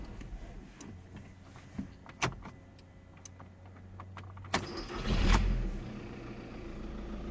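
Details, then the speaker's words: VW Passat 2.0 TDI after repairing a bad contact at the fuel pump connector pin that caused a no-start: a few clicks, then the starter spins briefly and the diesel catches and settles into a steady low idle, a normal start. "And now we can start and try. Here we goo..... Our car running."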